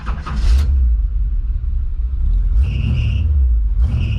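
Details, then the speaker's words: 1973 Chevrolet Camaro Type LT Rally Sport, V8, automatic, starting and idling with a deep rumble and short high-pitched squeals chirping over it from a squeaky, slipping drive belt; otherwise starts up good. "a squeaky belt but it starts up good"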